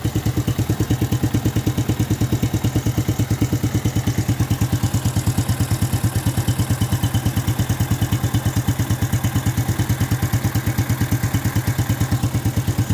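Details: Yamaha New Jupiter Z / Vega ZR engine after top-end work for rough, noisy running: steady, even idle about three firing pulses a second, no knock or rattle standing out; normal idle.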